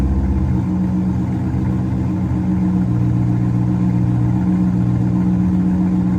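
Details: Chevrolet Corvette C5 after rodent-infestation cleanup and rebuild, first start: smooth even V8 rumble holding steady through light revs, no ticking, rattles or stumbles; engine healthy.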